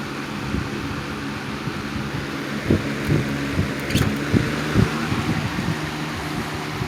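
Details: 1987 Patton CA-1284 12" rotary box fan, run with the front guard loosened, heard from outside the airstream. A steady, even hum with a low drone and no knocking, rattle or wobble.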